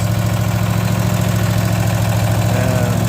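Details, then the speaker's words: Cub Cadet mower single-cylinder engine after a new starter and solenoid, carburetor clean, and coils cleaned and re-gapped (it previously had no spark). Steady, even low-thump idle with no misfires or rattles while warming up before an oil drain; runs healthy. "there you go she's running I'm going to let it warm up so I can drain the oil"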